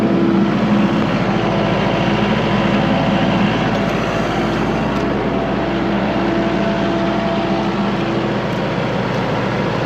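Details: Kubota MX5100 tractor after a PTO-not-engaging fault was fixed: steady, even diesel clatter at constant speed with PTO hum underneath, no knocks or grinding; runs normally with the PTO engaged.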